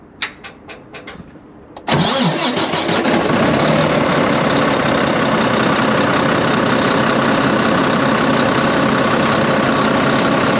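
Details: Volvo VNL truck, D13 diesel, loud windy noise after an accident: catches after about two seconds, then a loud, even idle with a hissing rush from a clamp where black smoke escapes. Exhaust leak.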